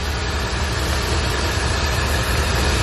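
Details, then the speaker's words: C4 Corvette after sensor replacement and TPS adjustment: loud, steady idle drone with no hissing air leak; idle much improved and settled. "but now the car is starting to idle way much way better so I'm actually glad I got it running much"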